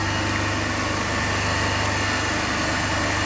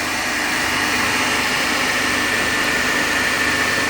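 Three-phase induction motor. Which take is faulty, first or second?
first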